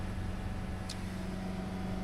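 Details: Diesel idling during a forced DPF regeneration after a split pipe was found, with a constant low drone and a loud, busy exhaust note.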